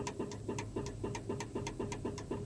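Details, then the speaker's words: 1970 Dodge D100 pickup after rewiring, all lights working: horn gives only a faint, thin buzzing chirp about four times a second instead of a full blast; the old horns are worn out. "you hear that little noise that's the horns trying to work but they're just so old that they they're just not working"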